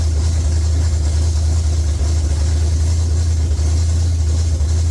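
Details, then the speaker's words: Rebuilt Pontiac 400 V8 in a LeMans with honed, rust-damaged cylinder walls and an unknown used cam: a loud, deep idle with an uneven, lumpy beat and stumbles. Rough running; rust or valves suspected, not confirmed. "I mean, I don't know. like it runs like trash, but it's all rusty. Cylinder wall."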